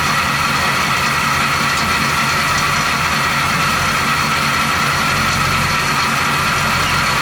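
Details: 1970 Chevy C10, 350 small-block with recently replaced water pump, at idle: constant hissy metallic rub with faint fixed tone; rotary noise suspected near water pump, unconfirmed.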